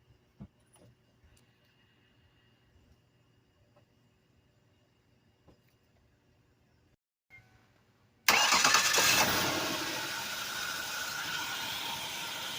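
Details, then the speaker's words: 2004 Ford Taurus after replacing leaking vacuum hose: near silence, then cranks, catches and settles into smooth, steady idle with no hissing; vacuum leak fixed, normal idle. "all right I don't hear it anymore I believe we're all set"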